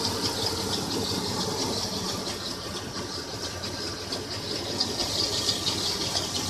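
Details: 1996 Toyota 4Runner at idle: light, uneven high-pitched rattle and chirp about twice a second, started a week ago; owner suspects timing chain or water pump area, source unconfirmed.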